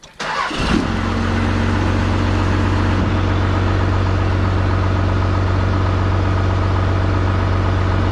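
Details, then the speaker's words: 12-valve Cummins diesel truck, idle screw set to just under 1000 rpm: fires within a second on start-up, then settles into a steady, even idle with no stumble; healthy cold start and idle. "I might just leave it right there basically on a thousand rpm but just a hair below it I love the way that thing freakin starts up when idles up that spot"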